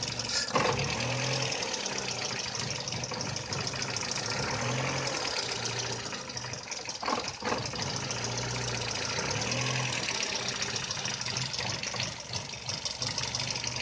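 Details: VW Polo 6N idling lumpy and uneven, with irregular stumbles and dips in the beat rather than a smooth steady run; rough idle, cause unsolved.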